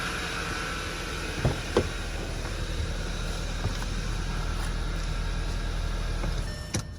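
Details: 2011 Audi A4 2.0 TFSI turbo Quattro after full engine rebuild, crank-no-start fixed by correcting an off-notch timing link: smooth, even low idle hum with no knocks or misses, a few clicks; healthy idle.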